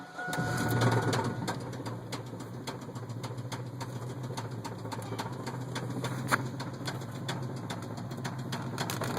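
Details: 1998 Chevy S10 idling with a steady deep rod-bearing knock, about three or four a second, growing louder midway; a failed head gasket let coolant mix with the oil and ate up the bearings.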